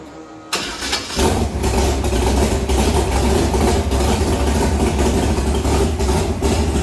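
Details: Big block Chevy Nova after new parts and roughly set timing, no water pump pulley so it is kept from getting hot: a brief crank, then it fires right up with no gas into a deep, even V8 rumble. It starts and idles healthy.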